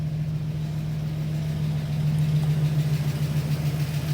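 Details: UMZ-4216 petrol engine fully warm at idle after oil pump replacement, fresh oil and filter, ~2.5-3 bar at idle: steady low hum, no hydraulic lifter tapping; cause of earlier knock was the oil pump.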